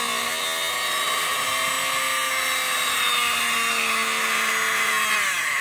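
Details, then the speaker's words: 12 V DC motor, opened, run on 12 V; magnet held far so it spins slowly, speed rising as magnet nears; smooth high steady whine climbing at the end; normal running. "और अभी मैं इतना दूर रखा हूं तो यह आराम आराम से घूम रहा है दोस्तों और जैसे जैसे मैं इसके पास लूंगा इसकी जो आरपीएम है वह बढ़ती जाएगी"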